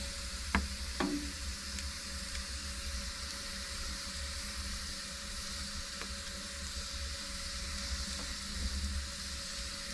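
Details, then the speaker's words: Mimsan 60,000-rated floor-heating boiler at about 38 degrees, three Bacasil chimney-cleaner packets thrown onto the fire, door closed: steady hiss and sizzle with sharp early crackles like salt on flames as the cleaner burns off, smoke coming from the cartons. "patlama falan olmaz yazıyor ama bakalım bisikleti başladı çıtır başladı Aynen patlak mısır gibi değil de şu tuzu ateşe atarsanız ya aynı o şekilde"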